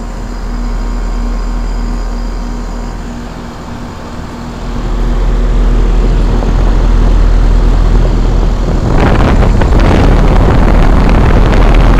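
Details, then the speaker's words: 2001 5-ton Trane XE1000 Weathertron heat pump in heat mode under high load: deep fan and compressor hum with loud buzzing shake as fan grill and condenser side cover rattle; compressor previously replaced. "this thing's very shaky this is um shaking this um the fan grill is shaking the um loot the um condenser cover on this side is shaking"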